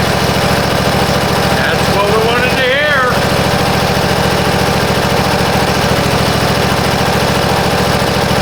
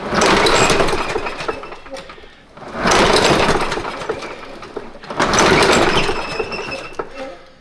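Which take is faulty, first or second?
second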